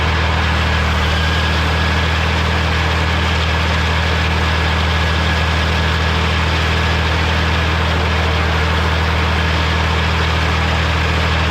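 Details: Morra F25-6 disc mower on tractor, test run after bearing repair: steady, even drone with discs spinning, no knocking or metal contact; runs smoothly, occasional slight touching possibly the shield.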